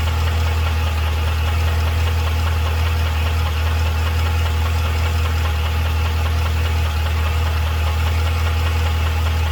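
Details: 2012 Cadillac CTS-V at idle: a steady idle with a loose, fairly regular tick of about two or three per second over the engine drone; ticking/knocking at idle, source unknown.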